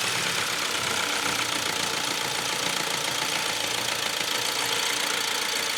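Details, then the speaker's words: 1.6 CDTI diesel at its first start after timing chain replacement, new injector copper washers and rocker cover, oil primed with injectors disconnected: slightly lumpy, uneven clatter, expected until fuel pressure settles. "if we've done everything right this should run lumping for a little while until the fuel pressure sorts itself out and then we'll be good to go I think"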